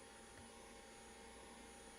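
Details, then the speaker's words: Skywalker V2 coffee roaster during a roast: steady airy whoosh with faint high whine winding up, no scraping or wobble; exhaust fan working normally, though bean cooling not working. "I'm trying to hear if the the exhaust fan is working yeah I can hear it wind up and wind"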